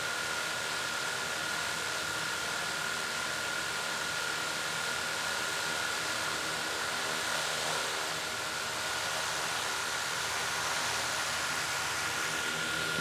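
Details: DJI Mavic Air 2 idling on a wooden table: a steady, even high whir with no rattle or buzzing. Unlike on a slick metal table, the drone does not shake or move.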